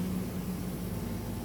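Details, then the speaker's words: 400 CFM diesel air compressor switched to high-pressure setting: steady low drone with a faint hum as it chases pressure up to 140 psi; sounds even and healthy, nothing knocking. "So now you'll hear it chase it again, which brings it up to 140 psi. There you are. It's just chased itself."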